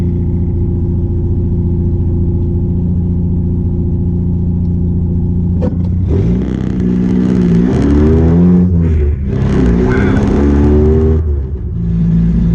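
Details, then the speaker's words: 1986 Nissan 720 pickup with a new Doug Thorley tri-tube header and no pipe or muffler, driven to the exhaust shop: loud, raw rumble and harsh rasping blare rising and falling with revs, an open header. "We are almost to the exhaust shop in this very loud vehicle here. It's like sitting right next to a P51, but way nastier."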